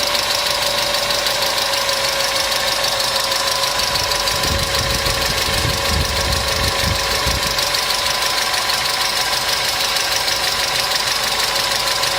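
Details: Customer's engine at idle with noisy hydraulic lifters, started after an additive was poured in; fast light tapping about three per second over steady idle hiss, hydraulic lifter tick.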